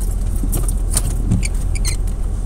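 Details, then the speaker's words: 2001 Dodge Ram 2500 5.9 V8 after TPS change, about 45 degrees out: low steady rumble holding an even idle with no surging or racing, though it has previously revved up on its own at idle; idling normally. "so i come back to the truck she's definitely idling fine i'm going to throw a scanner and just see what's going on with it"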